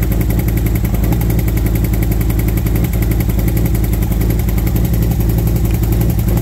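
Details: V-twin motorcycle warmed up after new SS540 cam and valve springs, lifters set to four full turns: lumpy idle with fast light ticking from front valve cover; lifter or valve train tick suspected, possibly exhaust side front, unconfirmed.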